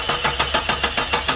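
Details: 2000 Jeep (description mentions Ford Mustang): starter cranking at an even seven or so pulses a second with no firing or catch; no start due to faulty ignition coil, replaced and then it started.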